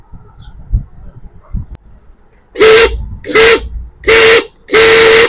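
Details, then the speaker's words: Pigeon mixer grinder, motor running before repair: four short loud bursts of motor roar with a steady high whine; water leaking from the jar onto the motor wore the motor bush quickly, causing the noise; fix is bush replacement. "ఇక్కడ jar నుంచి water leak అయ్యి motor మీద పడి ఇక్కడ తొందర bush అయితే అరిగిపోతూ ఉంటుంది. దానికి సౌండ్ అనేది ఈ విధంగా మోటార్ సౌండ్ అయితే రావడం జరుగుతుంది."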